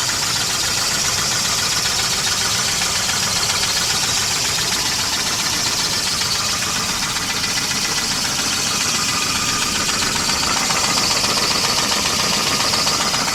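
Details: 1988 Volvo 240 GL at steady idle with a light, fairly regular tapping about four per second; most likely piston slap, otherwise engine runs fine. Cause not confirmed.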